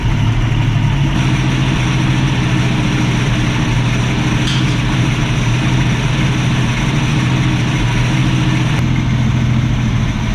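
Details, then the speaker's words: 1965 Mustang straight six with Autolite 1100 carburetor, after carb screw adjustments and timing advanced from 6 to about 12 degrees BTDC: smooth steady idle, deep even rumble, no misses; much better running. "sounds way better than anywhere we got in the last video"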